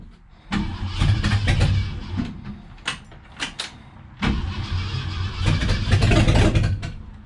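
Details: 1966 Ford Galaxie freshened 390 FE V8 on first start, leaking accelerator pump just tightened: fires in uneven bursts, stumbling with gaps, never settling; rough running, cause unconfirmed.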